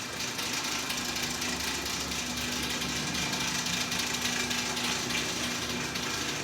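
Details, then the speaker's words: Rolls-Royce Phantom cabin ventilation switched on: steady loud rushing blow with faint hum underneath at constant speed; the ventilation fan sounds terrible and needs replacing. "let me turn this ventilation on okay that sounds terrible we got to fix that fan"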